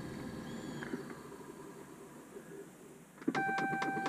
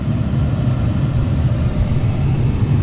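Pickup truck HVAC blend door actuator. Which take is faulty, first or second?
first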